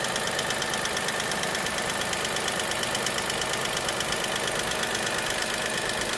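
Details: Dacia Sandero SCe75 at idle: light, regular, evenly spaced tick around three per second over the engine hum; ticking at idle, cause unknown.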